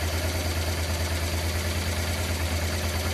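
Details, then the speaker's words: Circa 1996 Honda Transalp V-twin after setting carburetor air-fuel mixture screws to factory 2.5 turns out: steady even low idle with no misses, previously rough and unstable. "Okay, as you see now from the gauge, but from the sound also of the engine, our engine now works fine."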